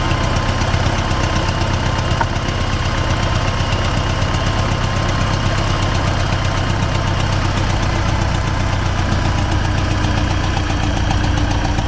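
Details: T-40AM tractor diesel at low speed crossing a field ditch to test the differential lock, about -14°C after standing a month; dull rhythmic knock about four a second, engine knock source not pinned down.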